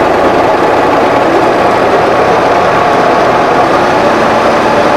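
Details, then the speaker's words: Workmaster 25 tractor with mid-mount mower deck, after replacing a seized deck pulley and greasing the pulleys. A loud, steady mid-pitched roar with the deck engaged; still noisy, the owner suspects the pulleys rather than the deck. "it's still noisy but you know I think it is what it is um and I really can't blame the mower deck so much it seems like a rugged built deck"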